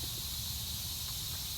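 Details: Magna Force air compressor under repair, motor off after building pressure: faint steady high hiss as pressure slowly bleeds off through an open fitting.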